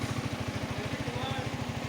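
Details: Yamaha R15 V3 M model after repair of an engine sound problem; even, regular exhaust pulses at about fourteen a second with no chain rattle or slapping; clean, healthy normal idle.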